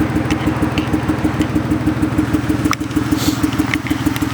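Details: BMW E36 lumpy idle with a steady thudding beat and occasional stumbles. A cylinder is misfiring, being tracked down by pulling spark plug leads.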